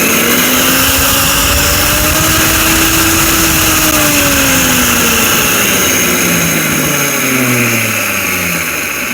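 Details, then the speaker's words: Mixer grinder brought in for repair running very loud: the motor roars harshly with a rough hiss over a wavering hum, caused by a worn bush and bearing. "दोस्तों ये sound बहुत ज्यादा कर रही है मैं आपको दिखा भी देता हूं कितने साउंड इसमें से आ रहे हैं बहुत ज्यादा आवाज कर रही"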